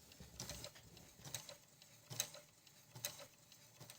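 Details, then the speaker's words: Brother ML-750 sewing machine during adjustment stitching knit fabric: soft light clicks and whirring from the stepper motor driving the needle bar frame with each zigzag swing; normal, very quiet operation. "така в нього робота ну куди вже тихіше машинка дуже тихо працює ну порівнянні там з чайками там то вообще не зрівнять"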